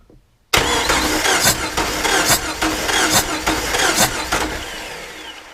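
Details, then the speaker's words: Jeep Wrangler 4.0 engine with a dead miss on two cylinders, cranking for a compression test on cylinder 3 with a neighbouring plug out to check for a blown head gasket: uneven soft compression strokes; reading came out about the same, low compression. "If we have a blowed head gasket, there's a good possibility that we'll end up with 0 compression now."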